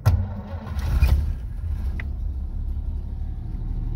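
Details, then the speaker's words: 1937 Plymouth coupe, original and unrestored, about 64,000 miles, started from the floor starter pedal: short crank, then the six catches at once and settles into a soft, even low idle with the choke pulled slightly to warm up. Healthy start. "listen to that thing purr what I'm going to do is pull out the choke just to pinch let it warm up a little bit there we go"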